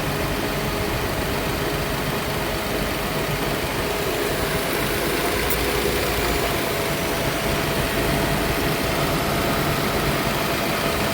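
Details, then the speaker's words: Nissan Altima (2007 or 2008), 232,267 miles, P0171 lean code, hot engine with a big vacuum leak. Smooth but raised idle above 1,000 rpm (target near 800) with a faint hiss; hoses dry-rotted, another vacuum leak suspected. "All right, let's see where our fuel trim start to go cuz this is a pretty big vacuum leak. I would like for it to idle down below 1,000 and get close to eight."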